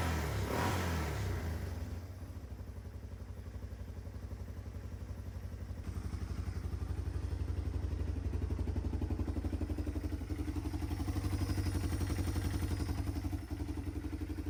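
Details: 1995 Yamaha Timberwolf 250 ATV, long-stored, after carb cleaning/replacement to cure zero power: after brief crank the single settles into steady even idle, about four beats a second, carb not leaking; normal idle.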